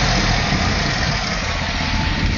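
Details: LT1 V8 at idle, sound from engine bay: constant raspy puffing hiss over steady idle, present since purchase; owner suspects exhaust leak, not confirmed. Exhaust-leak-like noise at idle.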